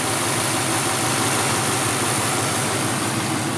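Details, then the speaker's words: 1953 Ford two-door sedan, flathead V8 with a 3-speed column manual: very soft, quiet, even idle with no knocking, vibration or shaking; normal idle. "Voilà, elle est en marche, on l'entend tourner. Le moteur est très doux, très silencieux."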